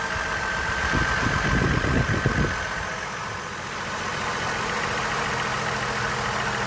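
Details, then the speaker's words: Chevy Trailblazer six-cylinder, intake piece off, just after fitting all six new coils and new spark plugs: brief clatter, then even, settled idle with a steady faint whine and no stumbling; running nice and smooth. "you're actually running nice and smooth"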